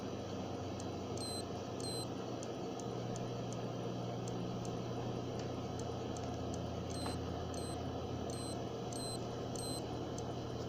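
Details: Seagate SSHD 1TB (ST1000DX001, PCB 100716565 rev A) not detected, making noise from the PCB: faint high electronic chirps once or twice a second over a low hum; disk never spins up. Works if plugged in after PC start, but still noisy.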